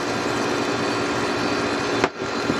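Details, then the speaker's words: Condura air conditioner that previously only hummed and would not start, after checking the start capacitor: steady even blower and compressor hum with no humming stall apart from one brief dip; now cooling and running normally. "Malamig na siya. Klase pa ng aircon. Okay na siya guys."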